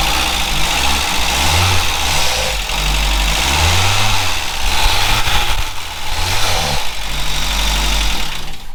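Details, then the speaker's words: VW Scirocco Mk2 Tropic after long storage, vapour separator bypassed, fresh fuel, spark confirmed; runs only on starting spray with rough low rumble surging and sagging about every second; fuel starvation. "so yeah that is probably something to do with either fuel pump um or the carb or the choke"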